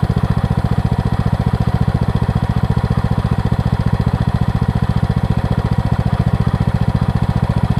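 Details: Craftsman LT2000 lawn tractor, 2003 model year, after freeing a frozen deck spindle and replacing belts: even, rapid engine pulse around ten beats a second, steady with no knocks or squeal, blades turning; normal running with blades engaged.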